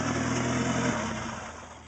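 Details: Talon engine running after a spun rod bearing was replaced with other bearings; revs up smoothly and settles back, even run with no knock or tapping, bottom end sounds healthy so far.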